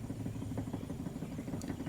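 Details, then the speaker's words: GMC Envoy idling as the steering wheel is rocked: loose clunks and knocks from side-to-side play, also heard while driving; the pinion bearing into the rack is worn, the rack bushing fix failed, and the rack and pinion needs replacing. "if you have any side to side play like that I don't know if you can see that but that that bearing going down into the rack and pinion is wore out that's exactly what it is"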